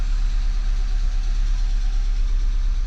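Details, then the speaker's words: 1991 Mk2 Jetta idling right after its first start at a viewing, in neutral and nearly out of fuel. Deep, even idle with a steady low thrum and no knocks or misses; the engine runs smoothly. "Starts up no problem, seems like."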